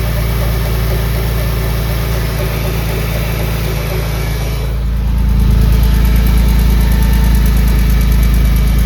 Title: Engine Noise? Can anyone guess the issue of the ticking noise? What is it?